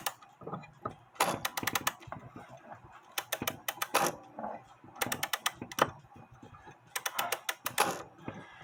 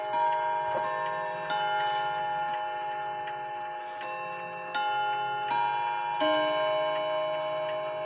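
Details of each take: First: Seth Thomas Sonora clock with balance escapement, being wound: bursts of rapid ratcheting clicks as the mainspring slips instead of catching; the click is suspected to be slipping and needs fixing. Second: and then that movement as you can see it's ticking away it keeps really good time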